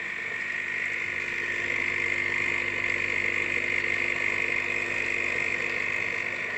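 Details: Philips 5360/10 espresso machine runs with a steady high whir and a faint rapid pulsing, about three beats a second; unusual operating noise, cause unknown.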